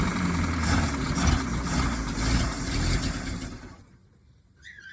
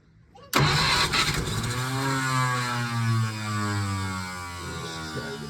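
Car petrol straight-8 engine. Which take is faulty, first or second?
second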